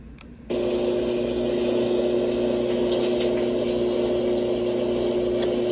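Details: Frigidaire front-load dryer, model FAQG7001LW1, several years old, rear rollers replaced two years ago, thermistor twice: intermittent steady low drone with constant hum once the drum turns, no knocks or scraping; cause unknown.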